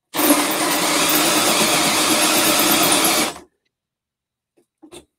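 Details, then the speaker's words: New Milwaukee M12 FUEL gen 3 1/2" drill/driver: steady high whirr for about three seconds, then stops dead mid-cut under load, trigger still held, light flashing; cutting out under load. "finger's still on the trigger flashing it it'll do it though"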